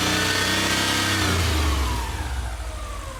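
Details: Rebuilt Subaru EJ22 boxer engine after reinstall, revving up and falling back smoothly with no metallic rattle; the ticking heard at first start-up is resolved.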